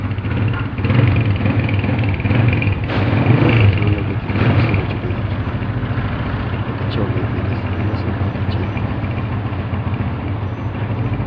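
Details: 125cc motorcycle engine test after repair with a new cylinder, piston and valves. The single thumps along evenly and picks up smoothly on a few blips, with no top-end tapping or knocking: normal running.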